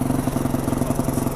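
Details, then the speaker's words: Recently bought carburetted Yamaha WR450F enduro after service, idle just adjusted, exhaust drilled with a couple of holes: crisp, regular thumping about eleven beats a second, evenly spaced, no stumbles; clean steady idle, throatier exhaust. "Sounds alright, that exhaust, doesn't it? I think it's got a bit throatier now. I've drilled a couple of holes in it."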